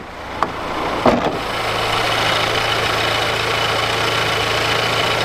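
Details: VW Golf with recurring stalling; owner suspects the throttle body, coil pack to be replaced: after a couple of light knocks the engine holds an even, steady idle with no stumble; smooth idle, fault not yet fixed.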